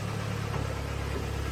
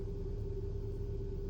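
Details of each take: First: 2012 Hyundai ix35 G4KD, AWD automatic, 202,000 km: heavy, deep idle with a fast steady knock throughout, piston slap from scored cylinders, at least two pistons badly scored. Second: 2012 Hyundai ix35 G4KD, 202,000 km, AWD automatic, after full rebuild for scuffed-piston knock with block sleeving and threaded oil jets, first start: smooth even idle, steady low hum, oil pressure up, no knocking or ticking; normal idle.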